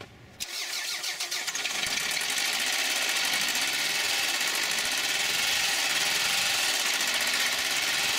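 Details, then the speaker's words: Gasoline engine run on neglected, very thin dirty oil, refilled with 40-weight: it starts with a harsh, diesel-like clatter at idle from knocking rods, plus code P0301 cylinder 1 misfire; cylinder 1 shot and engine destroyed inside. "now just by listening to the engine I can hear the rods knocking so I know the engine's destroyed inside"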